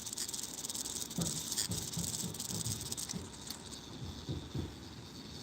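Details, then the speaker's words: Clock movement just after oiling: light, quick, even ticking with no scraping or grating, running freely and sounding much better than before. "You guys hear the difference now? I just put some oil right there. Oh my goodness. That made it sound so much better."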